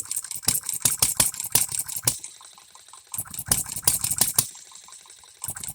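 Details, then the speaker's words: Economy hit-and-miss engine, new shop-made piston and rings: sharp exhaust pops in quick bunches with about one-second quiet gaps, uneven firing; owner suspects timing too far advanced, running but not right yet, needs much tweaking. "I'm gonna let it run I'm Gonna Keep tweaking on it this is the best I've ever seen this thing Run is it right not by a damn sight but is it running yes"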